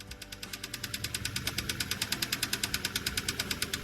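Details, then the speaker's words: Car with customer-installed used engine from an engine outlet, sold as running great: sharp, steady knocking about eight times a second over a quiet idle; hard internal engine knock. "Customer replaced their own engine with this one from an engine outlet store. They were told it ran great and had no issues. Well, as you can hear, that was a lie."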